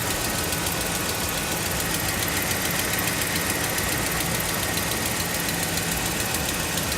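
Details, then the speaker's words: Dodge Ram Hemi V8 cold start after sitting about a week. A fast, faint ticking keeps pace with engine speed, likely from the exhaust side. It fades once warm, has worsened over four months, and is suspected to be an exhaust leak. "but the tick has started it's gotten ridiculous now that you guys hear it on cold start"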